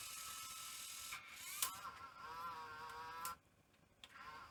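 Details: Sony EV-S700 Video8 deck in play: faint high whir with wavering sliding tones and mechanism clicks; capstan running far too fast, no FG signal from the capstan motor FG coil found, cause suspected, not confirmed.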